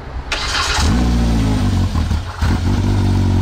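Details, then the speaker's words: Side-by-side (RZR X3 or YXZ) wrecked in a trailer rollover, with a busted part they were sure was the problem: catches within a second and holds a deep, steady, slightly lumpy run with a brief dip; now runs. "so we might be able to just unplug it and it should run i guarantee that's the problem"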